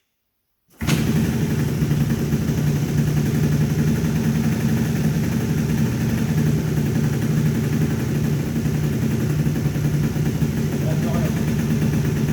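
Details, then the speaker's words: Two-stroke scooter with MVT Millennium ignition after fixing no-start and misfire: stator coils cleaned and bared wires insulated. Fires right up, holds steady buzzing idle without cutting out or stuttering; problem appears solved. "howard k robin le problème a l'air d'être réglé vous voulez avant un possible à démarrer"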